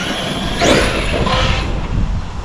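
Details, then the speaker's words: Arrma Outcast 8S 100mph custom RC car on grass: loud rushing surge then rough grating whoosh as it brakes hard; harsh braking noise, owner wonders if it's normal for this ESC; cause unclear. "I really don't like the sounds of that braking."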